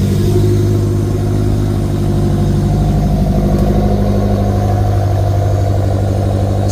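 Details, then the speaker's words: BMW E70 X5M, cold start: loud steady V8 drone at raised idle with slight uneven throb, a bit aggressive; normal cold-start fast idle. "get back to you guys in a little while yeah this is the cold start"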